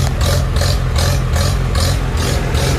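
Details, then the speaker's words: Old tractor with a cheap eBay carburetor being adjusted: speed rises and falls about every half second, a rough hunting idle. Fuel supply issues are suspected. "gonna come out i mean no doubt there's fuel issues here but i can get it running better just from the car"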